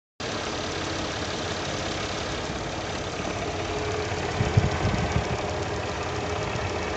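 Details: Mercedes M112 engine at idle: a dull, uneven knock, not a tick, under the steady engine note that grows louder midway. Cause unknown.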